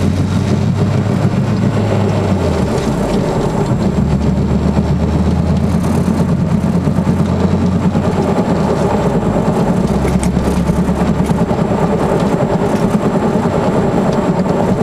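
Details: 1999 Honda Accord driving: steady low droning hum under road noise, persisted after replacing wrong-side wheel bearings and axle; caused by worn passenger-side wheel bearings, noise gone after replacing them.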